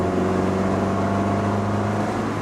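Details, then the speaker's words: 1964 Volvo 1800S with original twin SU carbs, first road drive: steady engine drone pulling smoothly under road noise, no stumble or hesitation; normal acceleration, slow but clean. "Right now it seems to be accelerating okay. It goes right back down to idle. It free revs perfectly."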